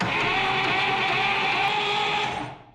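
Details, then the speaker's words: 1962 Buick Invicta wagon, 53 years in a salvage yard, previously seized by hand: even, steady cranking, engine spinning freely, tight but no knock or clunk; ignition cap missing, so no start yet. "Sounds I mean tight but good. Not the dunk dunk or nothing like that."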